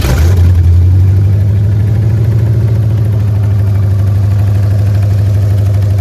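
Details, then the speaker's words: Car idling after exhaust leak near the headers was tightened, before new 90mm throttle body and O2 sensors fitted: deep even idle with steady low rumble, no ticking or puffing, louder and better sounding; normal idle. "Y'all can hear it, it's way louder. Y'all can see, it's way louder, sounds way better."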